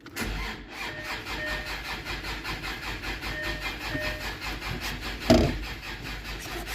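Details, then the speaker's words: Land Rover Discovery 2 Td5 after a small fire during welding, battery reconnected: starter cranks in even pulses about three a second but never catches; battery flat, owner suspects fire-caused problems. "we've got now start that's not good news can you hear the fuel pump"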